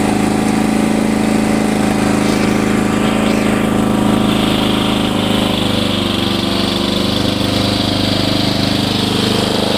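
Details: Free Hayter Heritage ride-on tractor mower, petrol engine, restarted after eight years stored in a shed, oil checked and spark plug looks new; steady even buzz with consistent firing and no stumbles, running clean and healthy.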